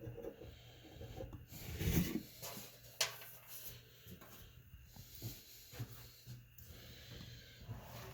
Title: Garbage disposal making noise